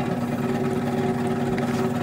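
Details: 2004 Goodman/Janitrol PCK036-1A straight-cool packaged HVAC unit: loud steady droning hum with rough buzzing edge from the blower running continuously; noisy blower, cause not confirmed.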